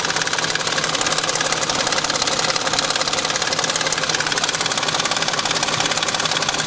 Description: 2000 BMW 740 IL strange ticking noise. I suspect chain guides or VANOS. Noise seems to stop around 2500 RPM and up.